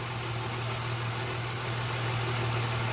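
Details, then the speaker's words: 2006–07 Jeep Liberty with random and cylinder 1 misfire codes, after swapping coils and wiping water off the coil: steady, even idle with a smooth low hum, no stumbles; running smooth, no code returned yet. "Cod hasn't come up yet I'm going to take it for a spin in a little bit but right now it's just running pretty smooth"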